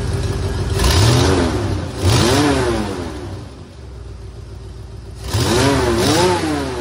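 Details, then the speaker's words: 1976 Mercury Monarch 351 Windsor V8, mild hydraulic flat-tappet cam, C6 automatic; quick revs with raspy puffing edge from an exhaust leak on one side due to a blown-out manifold donut gasket; otherwise good running engine. "It's got a pretty bad exhaust leak on this side. That donut gasket down there is blown out, so here we go. It's a real good running engine."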